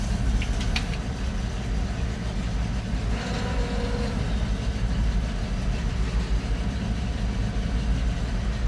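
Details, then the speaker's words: 1970s crane truck, over 50 years old, sitting over a year: with starting fluid the deep, uneven rumble catches and keeps running, confirming spark; the fuel supply is suspect. "Told you we had a It sparked. It ran. How about that?"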